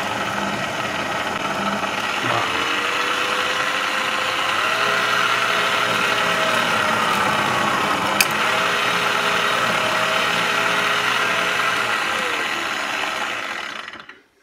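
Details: Clatronic KM2718 1000W kitchen mixer after fixing loose/torn drive belt with metal disc over gear: even motor hum, gently shifting tone, no knocking or slipping, then smooth spin-down; normal running.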